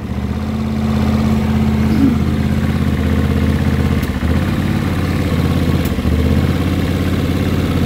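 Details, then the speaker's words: 1979 Honda CX500 twin, about 15,000 miles, run after two years stored with carbs cleaned, mix screws at 2.5 turns out: lumpy, slightly irregular idle that wavers; owner may richen mix screws. Cause suspected, not confirmed. "Yeah, the mix screws right here. Might try to richen those up a little bit."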